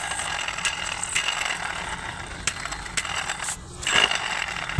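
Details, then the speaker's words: 2018 Toyota Vios CVT with drive belt removed, water pump shaft turned by hand: dry, gritty rasp with ratchety clicks from a worn water pump bearing; engine noise grew louder when revved; tensioner fine, belt cut. "Pinaka main issue niya kaya maingay yung kanyang water pump. Guys, ito yung water pump. Ito yung maingay oh."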